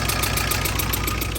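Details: TATA 2.2 diesel with warning light, shaking and no power, just started after injector service: loud, uneven clatter and rough low throb at idle; injection pump timing mark found misaligned, reset with injector coding and air bleeding.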